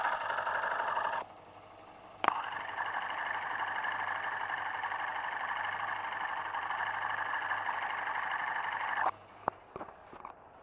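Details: New motorcycle engine at idle, heard through a probe on the block; steady, even, unchanging mechanical clatter that does not mean a problem on a new bike; normal mechanical noise.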